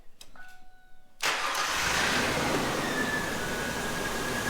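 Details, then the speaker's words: 2000 Ford Explorer that cranked but wouldn't start, after replacing the fuel tank pressure sensor (only 6 volts had been reaching it, so the relay circuit failed): a few faint clicks, then it fires at once into a smooth, steady idle. Normal start. "Aha! How about that? There you go. It's running."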